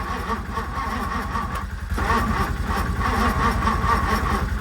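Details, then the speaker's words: 1964 Ford Thunderbird, 390 FE big block, sat unused for decades, first start attempts with fuel poured in the carb and a weak battery: engine barely running with uneven raspy puffing about three per second; suspected exhaust leak, one blowing line plugged off. "I think my battery's just getting weak and I can hear exhaust leak uh so I'm going to plug some stuff real quick"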